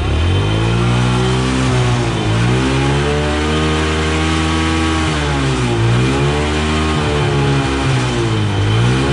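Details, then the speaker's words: Honda Wave that would not start despite fuel, spark and compression, now started after gasoline was poured into the cylinder through the spark plug hole; revs rise and fall smoothly, firing evenly; normal running. "so Ayan mga boss ano umaandar na siya at madali na siyang paandarin"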